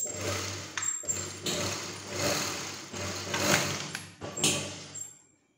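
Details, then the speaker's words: Brother 814 buttonhole sewing machine: short stitching runs, each ending in a very loud hard metallic bang when it stops; stopper and stop position set wrong. "cuman dia ketika nyetop itu bunyinya kenceng banget jagrak gitu kita nggak tahu penyebabnya apa ya"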